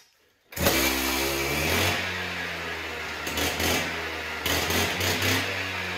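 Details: Husqvarna cut-off saw after repair of blade spinning at idle (missing spring found), started cold: fires on first pull, settles into steady two-stroke idle with clean throttle blips; blade no longer driven at idle, sounds healthy.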